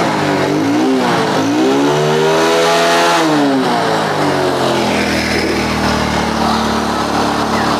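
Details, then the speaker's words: Honda Grand motorcycle that stalls with black spark plug and high fuel use: revs rise and fall with a muffled, choked, held-back note; restricted exhaust outlet from an added insert. "suaranya juga kelihatan Mas Bu tertahan ya pada akhirnya dia akan menumpuk itu jadi e kotoran atau atau sisa pembakaran itu tidak bisa keluar dengan sebenarnya maka dipastikan lama-lama akan kembung"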